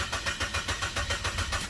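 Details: Chevrolet Optra cranks steadily at about six turns a second with no catch; immobilizer light shows red, immobilizer box fault blocks starting even after a garage visit; fix chosen is disabling the immobilizer via the ECU.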